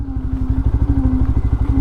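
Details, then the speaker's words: Lexmoto LXR 125 motorbike at about 1,000 miles, riding: a wavering low drone over the engine's quick pulsing, identified as noise from the rear brake. "that's my rare break yeah so on day one i was already leaning over so yeah the handling of the bike is lovely"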